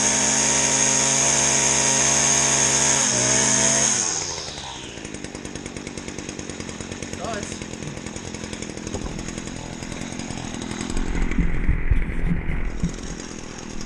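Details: Stihl FS 70 R trimmer, first start in spring after sitting since last October, choke used: high buzzing rev for four seconds, then a steady, slightly uneven idle that keeps running; starts and runs fine after storage.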